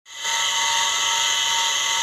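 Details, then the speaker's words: Deep-well (borehole) water pump motor before bearing replacement: loud, steady high-pitched whine and hiss starting with the motor and holding constant, no low rumble; worn motor bearings. "วันนี้ผมจะมาทำการเปลี่ยนลูกปืนปั๊มบาดาลเสียงที่ดังนี้ก็เป็นเสียงลูกปืนปั๊มครับ"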